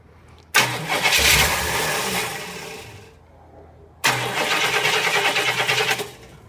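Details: Rebuilt 1972 Cadillac Eldorado 500ci 8.4L V8, with starter fluid sprayed into the carb: two bursts of steady cranking at about three turns a second, then silence. The engine never catches, so it cranks without starting.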